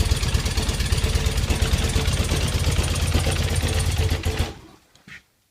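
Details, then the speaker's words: BMW R80 airhead twin, first start after coming in pieces and wiring harness work, on choke, long unrun: lumpy but even thump at steady idle, firing cleanly, no smoke, knocks or rattles, then shut off; healthy. "Listen to that. No smoke, just brilliant. Happy bunny."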